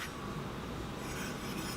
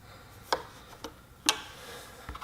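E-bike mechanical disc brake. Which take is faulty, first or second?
first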